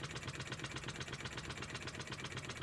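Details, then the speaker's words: Wig Wag oscillating wobbler engine on compressed air, with the compressor adjusted to run it slowly (slow running is a sign of good build): soft, quick, evenly spaced chuffs with no stumbles or knocks; running smoothly. "They do say the slower you can get it to run, the better it's made. I'm just adjusting it on the compressor now to see if I can get it to go slow."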